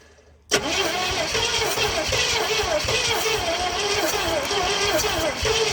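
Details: 1970 Oldsmobile Toronado 455 V8, long abandoned, with the choke held by a screwdriver and fuel primed by bulb: the engine catches and runs unevenly with a loping gallop; misfiring, cause unknown.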